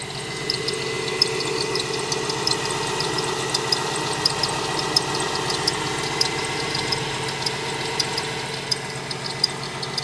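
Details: 2017 Ford Transit van at idle: steady engine with a sharp high chirp about once or twice a second; squeak cause unknown, four mechanics could not find the issue.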